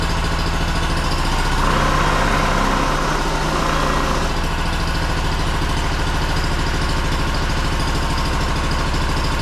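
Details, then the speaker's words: Honda two-cylinder engine first run after sitting 10 years in a shed, fuel forced in from a squeeze jug because the dried-out pump diaphragm would not pump: smooth, even beat with no misses or knocks; runs cleanly. "nice smooth running engine actually for sitting for 10 years"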